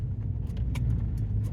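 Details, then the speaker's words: 2018 Chevrolet Silverado at 100,000 miles, driving over small bumps after left front sway bar link replacement: steady low road rumble with faint light rattles, previous left-front clunk gone. "you can hear the clunk in the in the left front instantly instantly it's gone definitely not there but we're going to listen for any other abnormal noises or anything make sure that we did it right"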